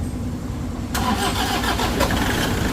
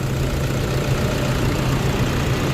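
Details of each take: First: Toyota Vigo 2KD diesel at 300,000 km, start after timing-belt service and injectors refitted with new washers. It cranks, catches at about one second, runs rough and clattery, then settles to a fairly steady idle; slow to fire. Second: Toyota Vigo 2KD diesel at 300,000 km, test run after its second timing-belt replacement: steady low idle with a smooth, even beat and no knocks or rattles. Normal idle.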